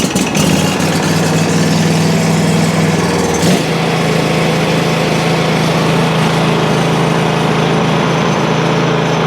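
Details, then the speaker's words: Country Clipper Challenger 52-inch zero-turn mower after its locked-up PTO clutch bearing was freed: the engine catches and settles into a steady, even drone with no binding or dragging; it now runs freely. "Let's see how this thing runs now without a locked up PTO clutch on it. This thing's completely free. There's no hanging up whatsoever to it anymore."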